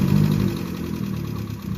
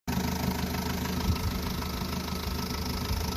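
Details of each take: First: Vauxhall Astra H 1.4 petrol, 79K miles, cold engine after timing chain replacement: smooth steady low idle hum, no rattle from the chain, only an exhaust blow. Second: Vauxhall Astra H 1.4 petrol, 79K miles, idling before timing chain replacement. Busy, tinny rattle over the steady run; worn timing chain rattle.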